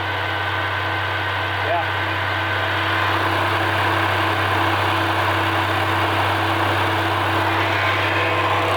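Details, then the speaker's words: Roughly 78-year-old two-cylinder water-cooled generator engine: steady, even chugging at a constant idle with no knocks or rattles; it sounds healthy, though it kicked back and puffed smoke from the air cleaner while cranking. "air sounds pretty Healy it actually sounds pretty good"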